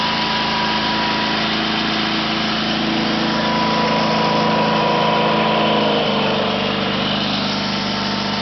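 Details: 1974 Sears Suburban SS/16 tractor, 16 hp opposed-twin Onan, out of gear at full throttle on temporary gas tank: smooth steady hum with faint whine, no misses; surges only below about a third throttle.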